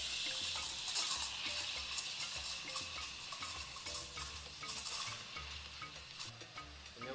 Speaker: so it's going to force the milk to spin in One Direction and put it about half a CM below the surface of the milk if you don't hear that sloping sound yet lower the